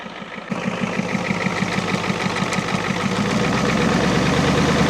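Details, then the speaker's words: 1989 Ford F250 7.3L IDI diesel, first start after sitting 6–7 years, temporary fuel supply: steady even clatter about three firing pulses a second, smooth, puffing a little smoke, no misses or knocks; normal idle. "just puffing a little bit of smoke that ain't bad considering she's been sitting for seven years and ain't run at all that's not bad"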